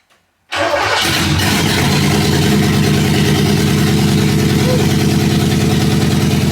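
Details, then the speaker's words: Porsche 928 V8 with homemade stainless exhaust, no rear silencers fitted yet: starter churn then deep, loud, even idle burble, measured about 90 dB on a phone meter versus 35 dB ambient; loud exhaust without rear silencers. "Okay, 90 decibels. Actually better than I thought it was going to be. It actually sounds quite cool."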